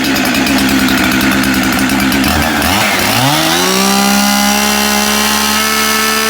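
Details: Husqvarna 372XP chainsaw after replacing the bad ignition module and setting the coil air gap: bogs briefly, then climbs to a steady, clean high rev and holds smoothly with no cutting out; running healthy.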